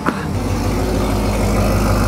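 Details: 2009 Corvette C6 convertible V8, one owner, low mileage, just started after sitting a while, oil circulating; smooth quiet low idle rumble, no ticking or knocking, no lifter noise; only gray condensation smoke burning off, healthy.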